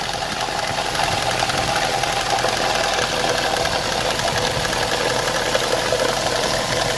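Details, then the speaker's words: Opel Vectra A engine idling with the cam cover off and a worn eighth cam lobe: quick, even light ticking over a steady idle. Valve train tapping, owner suspects poor oil supply; the sound seemed to normalize once oil reached the lobe. "вопрос в том что непонятно почему всё-таки начал стучать начал стучать вот этот вот у нас ну я буду называть не гидрокомпенсатор А этот лан должен чать по идее изза того что здесь плохая подача масла присутствовала"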